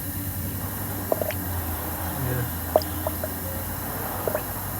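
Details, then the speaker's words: Toyota Tacoma with codes P0300/P0301 and misfire: leak-down test on cylinder 1 at compression shows 20% leakage, with irregular gurgling bubbles in the coolant over a low hum, indicating a leaking head gasket. "vemos que hay una marca un 20% de fugas y te damos cuenta empieza a burbujear aquí"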